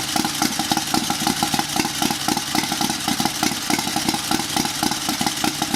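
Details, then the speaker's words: Turbocharged 670cc Chinese V-twin buggy with billet rods and flywheel, heavier valve springs, bigger cam, draw-through carbureted turbo, just after first start, unloaded: even brisk pulsing run near four beats a second with crisp throttle; healthy, no turbo flutter heard. "Wow, that is insane. Guys, I'm pretty shocked. I did not think it was going to start up that fast."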